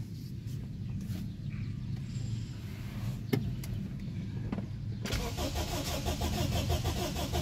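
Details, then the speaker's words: Honda Accord, bought as a non-runner: quiet, then steady starter cranking at about three turns a second that never catches; crank no start. "Ayan guys, another day, another trouble shooting, Honda Accord cranking nagi-start."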